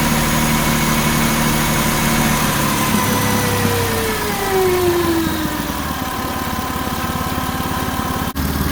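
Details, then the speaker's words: 2007–2011 Jeep Wrangler JK 3.8L idling: steady high whine with one tone sliding down in pitch from the alternator; bearings suspected to be failing, alternator and serpentine belt replaced. "as you probably heard in the first part of this video my alternator is making a really horrible whining noise very likely the bearings are going out"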